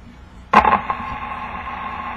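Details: 1936 Fairbanks Morse Model 57 tube radio powered via replacement transformer, antenna just connected: sharp crackle as it connects, then steady tone with faint background from the speaker; receiving normally.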